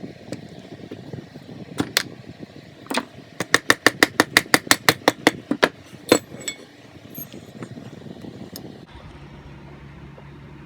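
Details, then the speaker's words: Stand-up jet ski crank, rusted from sitting in water, turned slowly by hand after splitting the cases: dry, gritty clicking with play. Distressed, worn crankshaft main bearings. "I don't know if you can hear that but yeah the things are distressed and there's a lot of play in it"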